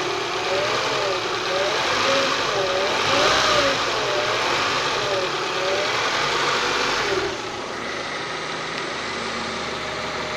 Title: Prelude grinding and whining noise